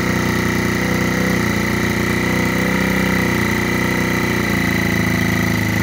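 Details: Rebuilt GY6 50cc 4-stroke Sprint Max scooter, first run after rebuild, started by kick and then by the electric starter: quick, even single-cylinder putter settling into a steady idle, clean with no misses or knocks.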